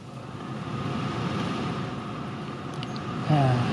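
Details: Honda CR-V 2nd gen, A/C blower fan that would not spin, tested after blower resistor repair before reassembly: steady airy rush stepping up in loudness with each speed switch, no scraping or ticking; blower runs normally on every step.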